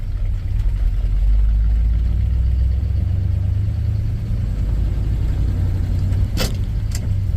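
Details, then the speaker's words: 1967 Ford F250 Highboy, 352 engine, just fitted with an Edelbrock 1405 carburetor replacing a Holley, throttle blades adjusted, driving up the driveway seeking third gear: deep steady V8 rumble pulling smoothly, no misses or pops; normal running. "Sounds good. Plug it down. Sounds real good."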